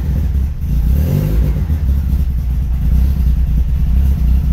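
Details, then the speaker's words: Citroen AX GT with 16v engine and newly wired MaxxECU, first start before dyno tuning: deep, heavy roar swelling and pulsing with revs, very loud, exhaust needs fixing. "hey that is very loud sounds like a Honda mate I have to fix that"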